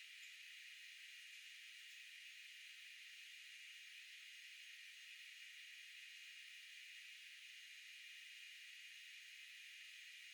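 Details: Steady, even high-pitched hiss with no knocks or cycling from the back of the refrigerator (condenser area) while the compressor cools, high-frequency filter on. The fridge is on its recommended setting yet food was starting to freeze. The owner suspects the breaker box is overexerting it; cause unclear.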